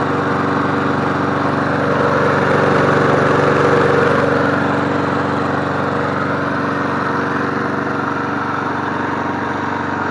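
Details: MTD Bolens push mower 11A-414A065, revived and cleaned, started after priming three times to warm up before an oil change: smooth, steady single-cylinder drone at constant speed, no misses, knocks or surging; running healthy.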